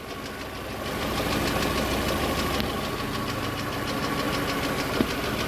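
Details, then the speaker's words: VAZ 2112 petrol engine, warmed up, idling rough with an uneven chuffing beat from a dead cylinder; ignition module resistance measured below normal, and pressing its connector briefly restores smooth running. "двигатель троит слышно да как троит как было до этого"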